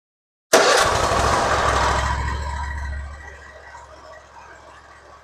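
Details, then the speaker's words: Hustler zero-turn mower after the starter solenoid was replaced with an identical new one, started on the key: catches straight away with a quick burst, then settles to a quieter, steady run. Starting fixed; a large oil leak still remains. "it works okay we fixed the starting problem starts and runs now"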